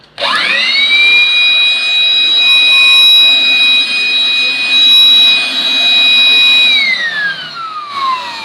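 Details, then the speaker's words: Total Company blower-plus-vacuum cleaner running in blower mode, pushing air out: the motor spins up to a steady high whine with rushing air, holds even, then winds down smoothly. Normal operation. "उसके लिए मैं आपको बताता हूं इसको आप चलाएंगे तो यह हवा बाहर मारेगा एयरपोर्ट"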